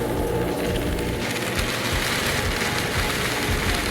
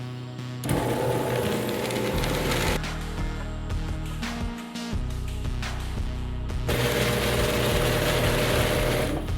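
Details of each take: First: Genie half-horsepower screw-drive garage door opener grinds and rattles loudly and runs past the limit arm without shutting off due to a bad limit switch, which is replaced. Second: Genie half-horsepower screw drive garage door opener after limit switch replacement: motor hums steadily through its travel, then cuts off cleanly at the limit with no grinding; the failed switch had let the trolley overrun and grind.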